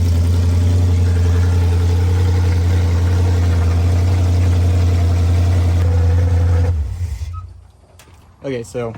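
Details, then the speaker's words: 1973 Dodge Dart with a rebuilt 360 V8, started after the distributor was disturbed. Very loud open-pipe sound with a deep, lumpy, even, lazy idle beat; the timing is retarded, so all plug wires need moving over one. "we got to move all the plugs over one because we're not quite where we need to be it's loud very loud"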